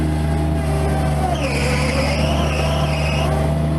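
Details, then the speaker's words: Bobcat MT85 mini loader under load with a steady engine drone and a high squeal sliding down and back up, only on one turn with a loaded bucket. Belt looks tight and in good shape, so the tensioner is suspected. "It only happens when I make that particular turn. Alright, so that awful squeaking happens only under a load. It doesn't happen when the bucket's empty."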